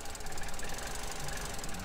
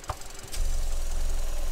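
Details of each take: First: 2015 Vauxhall/Opel Corsa E 1.4 LDD petrol, a healthy reference car for a P0300/P0171 lean rough-idle case. It idles steady and low with an even beat, no hiss or stumble, once the PCV cap is refitted and the trims fall back. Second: 2015 Vauxhall Corsa E 1.4 LDD engine, P0300/P0171: low, uneven lumpy idle when the oil filler cap is pulled off, a massive air leak; fuel trims go positive; rough idle from vacuum leak.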